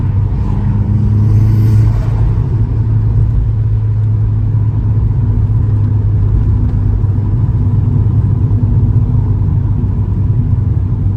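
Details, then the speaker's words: Vauxhall Astra GSi turbo, warmed up on a 2 °C morning, engine light on, previously misfiring on boost from wrong spark plugs: deep, even roar under hard acceleration with no stumbles; pulls cleanly without misfire. "That seems to pull nicer now, like, because beforehand you got like a bit of a an"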